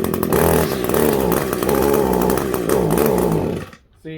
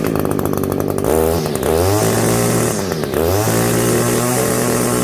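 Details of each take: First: Echo SRM 210i two-stroke line trimmer with a barrel-style carburetor, choke just taken off: a wavering, hunting buzz that never climbs cleanly to full revs, then stalls. The engine won't rev out, and the HI mixture screw needs setting (suspected, not confirmed). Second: Echo SRM-210i line trimmer with barrel-style carburetor, after HI mixture screw turned in about one turn and backed out half a turn to flush fuel deposits: revs up crisply, holds a clean high scream; running much better than when it came in.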